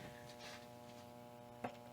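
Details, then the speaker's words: 1967 Gibson GA-20 RVT tube guitar amp, Reverb channel after repairs, nothing played: low steady mains hum with faint hiss and one small click; some idle noise, cause not pinned down, fixes planned. "a little bit of noise but I think there's some some things we can do about that to make that go away or get a little bit better anyway"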